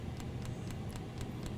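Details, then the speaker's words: Happybuy 5 kW Chinese diesel heater newly installed in a cargo trailer tiny home, ramping up after start: crisp ticks about four a second from the fuel dosing pump over a low fan hum, fairly loud, lots of heat; normal operation. "sort of the ticking here. And we've got a lot of heat coming out. So I don't know if you can hear that, but it's kind of loud."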